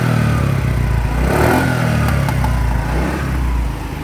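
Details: TVS Jupiter BS3 scooter revving: sharp pops and crackles from silencer, misfiring with black smoke; cause not confirmed.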